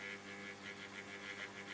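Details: 1947 STC Bantam C141 valve radio, about 150 V B+, no stations: steady low mains buzz with faint warbling hiss and no station audio, because the 6G8 valve is not fully seated in its socket.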